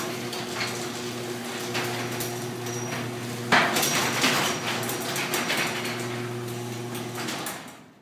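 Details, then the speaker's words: Garage door after fix attempt with a piece of wood in the sagging section: rumbles along with one dull thud midway where the panel still drops, but no sharp pop; panel still drooping, later fixed by screwing a 2x4 across the pieces. "fix attempt number two was to put a piece of wood in there ah so do doesn't make as bad as sound still Falls right there"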